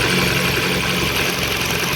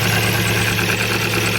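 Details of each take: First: Ford Focus 1, 2000, 1.6 petrol with a misfire on one cylinder, power loss and rough idle: sharp irregular snapping crackle over steady idle after swapping ignition leads between cylinders; strong spark jumping, this lead is fine. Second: 2000 Ford Focus 1 1.6 petrol idles lumpy and unstable, misfiring on one cylinder (third) with power loss on throttle; no spark from that coil output, so the ignition coil has failed and is replaced.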